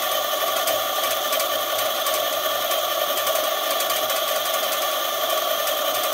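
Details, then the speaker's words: eZip E-450 electric scooter suspected of electrical faults, with the throttle clamped and the wheel spinning unloaded to run down the batteries: even, high whir with a faint fast tick and no grinding or surging. The motor runs smoothly. "okay so you can hear the wheel going i have a clamp up there i see the clamp is right there just holding the throttle"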